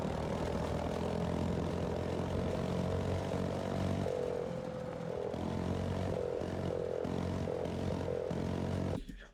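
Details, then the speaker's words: Tecumseh OHH50 on a vintage Manco American Express go-kart, slide-carburetor needle set all the way down, held wide open: the note keeps dipping and sputtering at the top end. Found to be getting too much fuel, running rich. "You can hear in this last clip that I have of this thing running, it's still doing the exact same uh exact same thing that the other go-kart was doing actually where you can hear I'm holding it wide open, but it's kind of sputtering at the top end."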